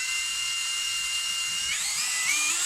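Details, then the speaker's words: Brushless cordless drill, 15-cell battery tested good (28 mΩ), controller and switch swapped: fast trigger press still runs a second and stops, slow press works; steady high whine climbing smoothly as trigger eased in. Cause later found: weakened rotor magnets. "现在我们测试呢，还是一样，手没有松的，还是转一下就停，慢慢的就可以。"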